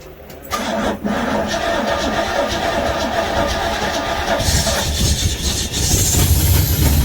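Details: 1969 Pontiac GTO 400 V8, 3-speed, first start: cranks and catches, then a loping, slightly uneven idle that swells partway through; a vacuum leak is suspected.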